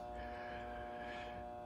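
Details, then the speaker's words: Everstart car battery charger that never charged, measured on a meter; it plugs in with a steady low hum and faint buzz but puts out only 5.3 volts and dropping instead of about 13–14; transformer windings look good, cause unknown. "we're gonna plug it in and see what we get if we get anything okay we are plugged in you can hear the hum and the run but we're only getting 5.3 oh and it is dropping volts output"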